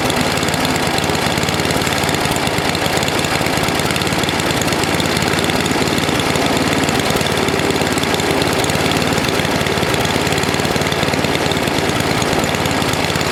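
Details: NOMA 8hp snowblower single-cylinder engine with the plugged gas line blown clear, warming up for an oil change: a steady, even chug with no surging or misfires. It runs fine.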